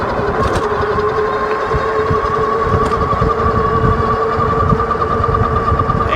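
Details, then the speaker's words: Wallke H7 AWD e-bike, 1000 W rear and 750 W front geared hub motors, 48 V battery, assist level 4 set to 96%: steady mid-pitched whir with higher whine under pedal assist, cause unknown; whirring noise under load. "it's still doing it so I'm not sure what that noise is"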